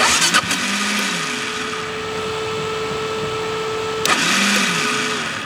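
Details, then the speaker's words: Rare Gas Gas Wild HP 450 quad, long unrun, after a brief start: a steady high starter whine for seconds with hardly any compression beat. The starter spins without turning the engine; owner says it definitely needs a starter clutch. "It definitely needs a starter clutch. So, uh I don't know if I want to start kicking this damn thing, especially after the last incident we had with the Tucati."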